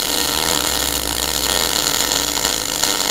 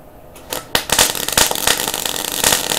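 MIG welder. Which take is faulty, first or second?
second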